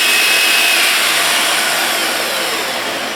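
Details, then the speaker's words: Festool TS 55 track saw back from repair and upgrade, run without cutting: steady high-pitched motor whine with even spin-down, no grinding or rattle; normal no-load run. "all right that sounds good"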